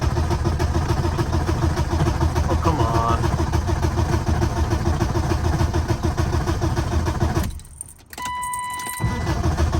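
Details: BMW E36 318i four-cylinder, crank no start after ECU work, tested with battery from another E36: starter churns steadily about three and a half beats a second, never fires; owner suspects ECU, possibly water-damaged.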